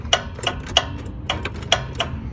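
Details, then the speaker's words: John Deere 925 Z-rider that cranks and dies: with the key on and the ignition switch wiggled, the fuel shutoff solenoid clicks sharply and irregularly, about a dozen clicks in 2.5 s over a faint hum, cutting in and out intermittently. The ignition switch is bad. "you should be able to hear that solenoid working you turn this key on on off on now I'm just going to wiggle it a little bit and I hope the microphone can pick it up"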